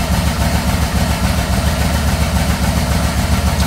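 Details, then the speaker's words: 1986 Yamaha Venture during carb balancing, where one cylinder shows much less vacuum than the others: low, slightly uneven idle at about three and a half beats a second, the beat wavering. Carbs suspected out of balance; rough idle. "i'm just gonna start up like that and this is what i found see here it's probably a lot less vacuum than these two"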